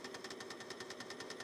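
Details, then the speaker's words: Fujitsu M2551A 360k floppy drive spinning during repair with scope probes attached: rapid mechanical clicking, about ten sharp ticks a second over faint motor hum; owner suspects cables brushing against the mechanism. "Well, it sounds horrible, but there was our drive signature. Why is it making terrible clicking noises? Oh, I think the cables were brushing up against it."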